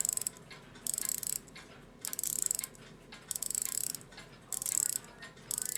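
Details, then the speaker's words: Post-WWII German Europa 7-jewel alarm clock: bursts of fast crisp ratchet clicks as the alarm key turns freely, mainspring popping past the catch and slipping in the barrel, alarm runs only briefly. "I hear it popping past my little catch. So do I want an alarm that only runs for 5 seconds?"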